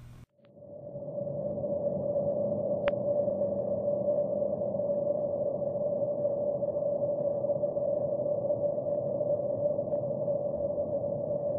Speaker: The water leak sound is a constant noise, almost like static noise.